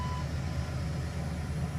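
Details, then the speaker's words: Dodge Ram 2500 that kept dying at idle, especially when cold, after replacing the idle air control valve behind the throttle body: steady, even low idle rumble with no stumble or dying; it holds speed smoothly. "last step is to start it up to see if it works uh everything seems to be running"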